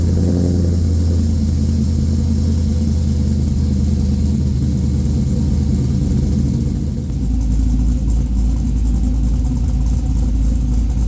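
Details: A newly LS-swapped 1985 Trans Am with a Brian Tooley Red Hot cam and an unfinished tune, warm (not a cold start), before its first drive. Deep, lumpy, choppy idle that settles steadier and runs evenly. Normal cammed V8 idle.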